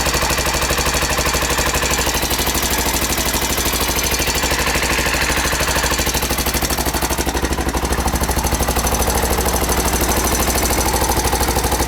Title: Honda XR 600 R 1992 timing chain noise